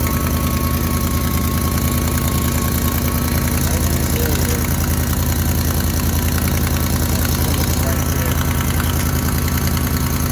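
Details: Idling engine with steady quick ticking following firing pulses: exhaust leak where the pipe joins the exhaust manifold, to be patched temporarily with muffler weld.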